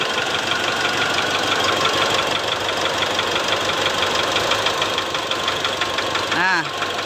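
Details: Mitsubishi Triton diesel at idle: sharp, slightly uneven knocking about three per second over diesel clatter. Injector wires unplugged one by one, with no change at number two; worn, loose piston slapping in cylinder one.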